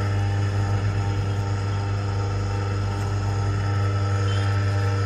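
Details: Car-washing pump with a replacement motor, fitted after the original burnt out, running: an even, steady motor hum with no knocking, rattling or surging; the pump motor runs normally.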